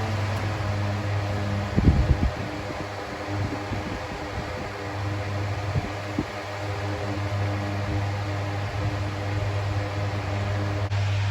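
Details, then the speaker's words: 2000s Bionaire 2cool 16-inch pedestal fan, bought used at a car boot sale, on medium, drawing about 67.2 W: loud but steady motor hum and constant airflow with no rattle or wobble, still moving a lot of air; healthy. "Apparently, the fan is still pushing out an insane amount of air and it is still very loud."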